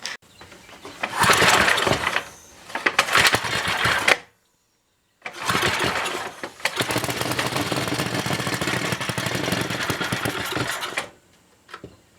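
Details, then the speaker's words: First test start of a brand-new NOS Briggs & Stratton 5HP block on a 1980 Montgomery Wards 2200 W generator: the single cylinder catches after a couple of tries and settles into a steady, clean putter. Normal idle. "it should be set to idle so I hope it don't try to race or nothing we know everything is drying the motor brand-new motor so we'll see what happens here"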